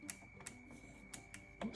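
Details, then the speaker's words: LG washer selector dial still gives sharp detent clicks over a faint steady tone but changes nothing, even after cleaning the selector switch with electrical cleaner; some LEDs are missing, and the failed selector switch module needs replacement. "You hear it clicking, but it's not changing anything."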